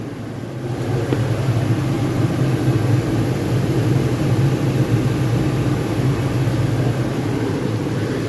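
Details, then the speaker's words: 2018 Toyota Tacoma just refilled with Mobil 1 0W-20 after oil and filter change, started and run a minute to check for leaks: steady, even low idle hum with no knocks, ticks or misses; engine running smoothly. "Okay, after I add the oil, I like to start it up, let it run for a minute, and check for leaks."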